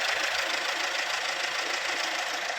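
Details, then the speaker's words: Maruti Suzuki S-Cross 1.6 diesel, 129,300 km, idling in neutral after a clutch/gear repair, with an even clatter and no grinding or rattle; the earlier neutral gear/clutch noise is gone, normal idle. "कोई problem नहीं है कोई sound नहीं ए रहा है"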